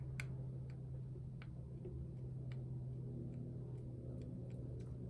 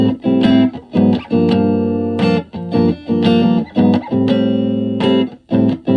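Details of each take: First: 1960 Silvertone 1431 tube amp (6AU6 preamp, 6V6 output, 6X5 rectifier): steady low hum with sharp random crackles cutting in and out; pin 6 of the 6AU6 preamp tube socket makes and breaks contact when wiggled, fix is replacing the socket. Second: Silvertone 1431 tube amp after repair (two filter caps and power tube cathode bypass cap replaced, bias in sweet spot): clean, full guitar chords with lots of headroom, no hum or crackle.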